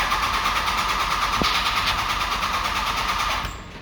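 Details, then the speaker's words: 2001 Dodge Ram 5.9L Cummins 24-valve with VP44 pump: steady starter whine with even cranking pulses, about three a second, never firing, as a blown fuse leaves the ECM unpowered; crank, no start. "we got a crane we can just sit there and crank it like that for a long time and um it'll just sit there and do that but let's uh go figure out what we got going on"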